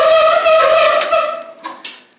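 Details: Whirlpool dryer with worn drum rollers (part 349241T), ends worn off; loud steady one-pitch squeal that fades as the drum coasts to a stop; fixed by replacing rollers.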